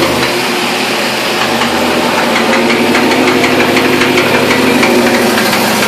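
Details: Chevrolet LS1 V8 running: loud busy engine with fast fairly regular tapping about three per second, a knock of unconfirmed cause.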